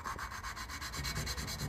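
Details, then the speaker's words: 2017 ZR 9000 Turbo snowmobile head, Stage 6 Turbo Dynamics build, low compression from leaking valves: quick gritty back-and-forth rasping as a valve is lapped onto its seat with grinding compound, coarse then smoothing out. "give her a couple of spins. You can hear it grind, and then it smooths out."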